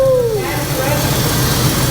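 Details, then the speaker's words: Fire-damaged 1984 Chevy C10 with carburetor running after spark was restored; falling whine as it catches, then steady low even idle rumble, no misses or knocks; normal running. "All right, so we got it. It's running."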